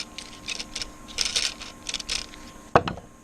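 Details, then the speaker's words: 1963 Lionel Alco FA 218 Santa Fe toy locomotive with gummed-up axles, running on test: irregular bursts of dry, scratchy grinding and clicking from the running gear instead of a smooth hum. The front wheels and axles need lubrication. "Ah, yeah. Front wheels need some lubrication. Oh boy, bad. Really"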